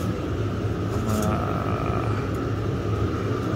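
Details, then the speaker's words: Chinese diesel heater with an external thermistor temperature sensor added, running at full blast with glow plug off, set to 35°, supply about 10.9 volts, no errors: constant fan roar, steady mid-pitched hum and low burner rumble, no sputter; normal full-output operation. "no plugs off is pumping it's a full blast it's trying to heat up so it's going that's good so it's nice and warm"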